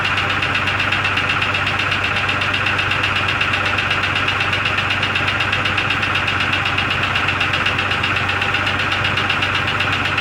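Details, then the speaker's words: 2002 Jeep Grand Cherokee Laredo in the cold: even idle with a sharp, regular metallic ping, about four per second. It runs better after replacing the PCV valve, its hose and the brake check valve, but the ping's source is unknown. "you'll be able to hear the ping ping ping sound but it is running better after uh after replacing the pvc valve and the that hose going over"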